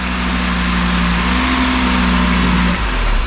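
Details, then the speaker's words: Damaged 2019 Audi RS3 started after sitting, running without an intercooler; revs climb with a steady drone but go flat, stumble and drop off. Bogging attributed to the missing intercooler. "it has no intercooler as you guys can tell so that's why it's like bogging out"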